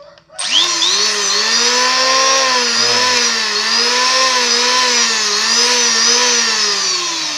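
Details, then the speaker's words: Wood planer (mesin serut) that had vibrated heavily and run very loud, tested after a cracked part was repaired: a steady high whine spins up and holds an even pitch with no rattle or shaking. It now runs smoothly. "ternyata bener juga ini gara-gara Ini salah satunya mesin serut bisa apa bergetar suara panjang banget ini gara-gara ini truk ini pecah dengan solusi seperti ini Alhamdulillah bisa dipakai lagi"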